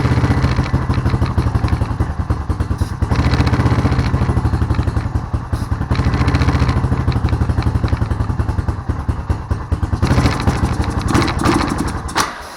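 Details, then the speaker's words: Honda Rancher ATV after sitting with old gas, carburetor cleaned, fresh fuel added: uneven single-cylinder thumping that surges and sags, then dies. It runs a bit better but keeps stalling. "so I got it to run a little bit better but it's it's shutting off every once in a while"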